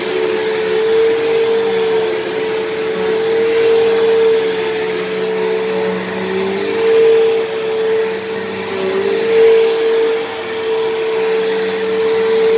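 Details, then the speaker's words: Dyson DC07 upright vacuum, long unused, running: loud steady whine at fixed high pitch under airflow roar; owner suspects dried-out bearings in motor or brush roll, motor bearings already somewhat worn and worsening, still passable. "now even when i first got this thing this thing was a little bit loud because the motor bearings are a little bit worn but it has gotten a little bit worse but it's it's still passable"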